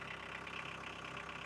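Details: 1982 VW Golf Mk1 1.6 diesel, sat 12 years, after oil, filter and coolant service, started first try: steady, even idle clatter with smooth unchanging rhythm, no misses or knocks; normal diesel idle.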